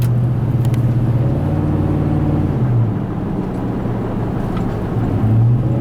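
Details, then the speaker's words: 2004 Ford F-150 after installing a 9.75" rear end, fifth wheel hitch in bed, in-cab at road speed, window up: only low steady tire and road rumble, no whine or howl; rear differential quiet. "Sounds good so far. It's late, guys. Now there's a fifth wheel hitch in the back of this thing. So far it's nice and quiet."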